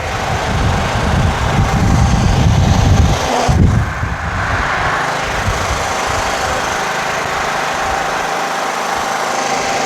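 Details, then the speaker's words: Scotts/Murray 1542 lawn tractor, Kohler Command 15 engine after carburetor cleaning; drops from higher speed to very lowest idle and holds steady without surging, running clean, though the carb still leaks fuel and needs replacing. "Listen to it idle. This is at the very lowest idle. Doesn't surge, runs great."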